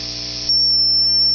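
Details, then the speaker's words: Triwatt tube amp with the overdrive engaged and guitar volume down: a rising hiss locks into a piercing, steady high whistle at about four o'clock, near full gain. The overdrive stage is self-oscillating. "yeah so we start getting some oscillation at about um uh uh about four o'clock on the dial almost full up it starts to self-oscillate"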